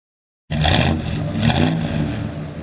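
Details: 1967 Plymouth GTX with 440 Mopar V8, 727 TorqueFlite automatic, dual exhaust, under-hood recording: engine catches and settles into a deep even burble with crisp throttle blips; healthy V8.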